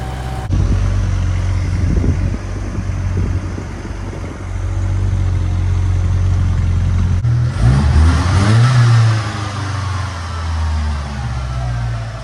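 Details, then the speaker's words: 1993 Ford Mustang 2.3L four-cylinder after head gasket and cam timing work, first start: uneven cranking catching into lumpy, missing run; firing order was wrong and number four plug wire broken; rough running. "I had the firing order wrong. I also broke number four spark plug wire back here."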